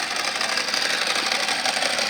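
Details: 2005 Ducati Multistrada 1000 DS twin at idle: dense, fast metallic dry-clutch rattle over a steady idle, no knock or grind; the real Ducati clutch sound, normal.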